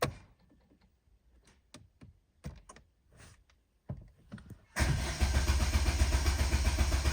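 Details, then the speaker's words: Vauxhall Astra Excite salvage rebuild, battery charged overnight, listed as running: starter cranks steadily about four turns a second but engine never catches; crank no start, owner suspects fuel or spark. "Starter motor's obviously trying to engage. It's almost as if it's not getting fuel. Or could it be bad spark?"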